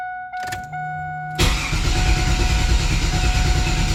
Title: LT1 no start vid 2